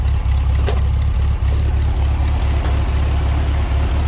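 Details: 1966 VW Beetle, restored ex-California car: air-cooled flat-four idling, heard at the open rear engine compartment, a steady, deep chugging with an even beat, no knocks or misses, not smoking; normal idle.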